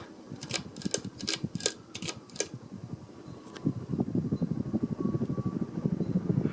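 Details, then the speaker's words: Vintage 42-inch Emerson 1895 series ceiling fan switched to high: switch clicks, then soft, even motor hum and air rush building smoothly to speed; normal, healthy startup. "don't know if you can hear that but there's like a startup line the motor it's so cool it's kind of like how uh it's like a more relaxed version of what like the antiques or hunter originals do"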